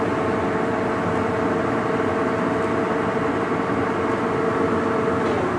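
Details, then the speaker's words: Blanchard No. 18 36-inch surface grinder in excellent shape: table drive started and shifted through its six speeds, no coolant; even continuous drone with steady mid hum, no knocking or grinding; runs smoothly. "I'll go ahead and start it up here start gentle start the table up here"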